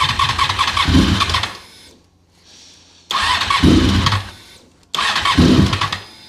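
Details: Honda RC45 RVF750, first start after new spark plugs (old ones very bad) and injectors tested leak-free: catches cleanly, revs in three crisp bursts with quiet pauses, settles evenly; sounds healthy.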